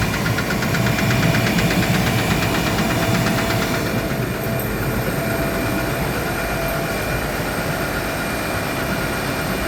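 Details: Gardner Denver screw air compressor: steady knock about three per second over the hum; caused by a defective pressure valve, fixed by replacing it.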